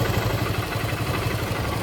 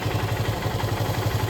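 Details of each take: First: KTM Duke 250 Gen3 single-cylinder idling; owner says oil has settled so the engine sound differs: steady low even putter, no knocks or rattles; idle normal. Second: KTM Duke 250 Gen 3 at start-up: fast, even ticking about twelve a second over a low idle thrum; owner attributes it to oil having settled down, not confirmed.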